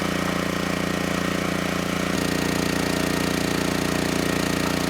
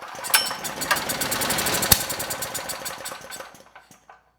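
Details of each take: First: Generac GP6500E generator after repair of seized engine, warmed up, under load up to 6,000 W near max: steady governed drone deepening slightly as load comes on, holding speed without hunting or knocking; held 121 V, just below 59 Hz. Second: Generac GP6500E generator engine that had been seizing, compression suspected too low to fire, fed starting fluid with the air box front removed: pops into ragged uneven firing then sputters and dies, yet started first pull.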